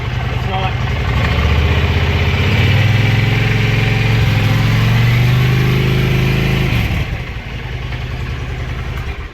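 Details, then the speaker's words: Warm idle of a 2004 Honda Shadow after repair, even beat of about four per second rising briefly; a slight engine noise remains under the exhaust but is much less than before. "but yeah it still has the noise I want to be clear it still has a little bit of the noise but it's not nearly as bad as it was and it doesn't sketch me out as much as it did"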